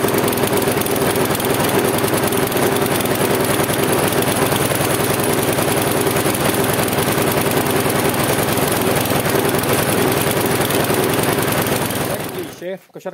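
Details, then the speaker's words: Husqvarna J55S lawn mower with Briggs & Stratton 650 engine, old spark plug, fuel poured in, first start without adjustment: fast, loud, uneven popping, stumbling, black smoke puffs, limping before cutting out; rough unstable running. "odpaliła pracuje lecz pracuje niestabilnie puszcza czarne takie bąki dymu i kuleje"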